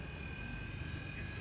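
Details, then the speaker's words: MG4 EV parked and switched on, A/C just turned on with the cabin still hot: only a faint, steady high hum over a soft low drone from the electric A/C compressor cooling the cabin; normal, and it quiets once cooling stabilises. "ซึ่งมันทำความเย็นอยู่นะครับแต่ถ้าความเย็นมันคงที่แล้วนะครับมันก็จะเบาลงเพราะว่าช่วงแรกที่เปิดก็คือห้องโดยสารก็คือยังมีความร้อนอยู่"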